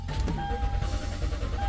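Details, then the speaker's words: 2013 Toyota Sequoia with lost communication with ECM/PCM, cluster not turning on; fuel pump, cam and crank sensors and relays already replaced, no power at 10 A ignition fuse; starter churns steadily, faint chime, never fires. "the cluster is not turning on even if I turn the key off back on there's nothing nothing happening cranking it"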